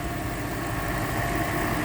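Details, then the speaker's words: 2002 Toyota Sequoia idling with A/C on after a Freon recharge: steady idle, smooth fan rush and soft compressor hum, no knocks or squeals; compressor and fans working normally. "you can see the fans on now, compressor's on, it's running the way it should, no worries."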